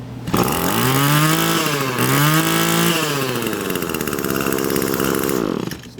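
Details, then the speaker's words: Echo SRM 225 two-stroke string trimmer after removing the clogged muffler spark arrestor screen: engine climbs cleanly through the revs, holds high speed and settles back without bogging; running properly after the fix. "So you can see that's working way better."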